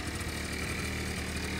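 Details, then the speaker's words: Honda Lead 50 scooter, five years old, in its fifth season, cold start on the electric starter. Compression was measured, about 9.5 against a manual spec of about 10.5, and the spark plug was replaced. It settles into a steady, even single-cylinder idle with a light buzz and no knocks or misses. A healthy cold-start idle. "вот за четыре года сейчас пошел уже 5 сезон вот он так должна заводиться"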